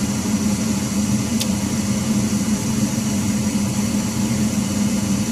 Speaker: all right you can hear that loud noise that's what's being heard downstairs throughout the house the motor needs to be replaced